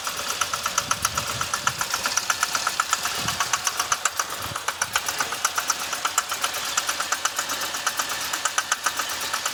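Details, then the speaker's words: 2006 Chevy Impala 3.5 V6 flex fuel, codes P0301 and IAC, reduced engine power, traction service light, stalls even while driving, burning smell; cam sensor and cam magnet already replaced: fast, uneven tick about four per second over a lumpy rough idle, cause unknown. "It's a rough item. You see it? It's like, it smells like something burned or something burning right."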